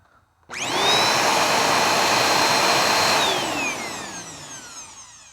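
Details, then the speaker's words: Bissell Powerforce Helix Turbo Rewind 1797 vacuum before refurbishment, mic near the machine: steady high-pitched motor whine at even speed, winding down smoothly after switch-off; motor healthy with only light wear. "so let's turn it on see how bad it sounds okay I'll get it closer to my mic that's near perfect that is just not that bad at all"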